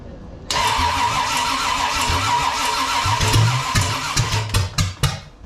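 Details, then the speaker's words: Freshly built 454 big block Chevy for a 1972 Camaro, first start attempt while distributor timing is advanced; cranks, coughs, partly catches unevenly then dies; timing suspected one tooth off, not confirmed; cranks but won't start. "It's trying. I think I have it one tooth off because Yeah, because you're way too far."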